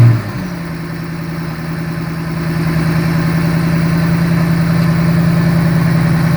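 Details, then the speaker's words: Supercharged Ford Shelby GT500 after fixing a defective timing chain tensioner, once thought to be rod knock: starts and settles to a smooth even idle, steady low hum with light injector tick, no knock; much improved. "All you're hearing is the injectors. Yeah, that sounds nice. That's a definite improvement from the first day we saw this car."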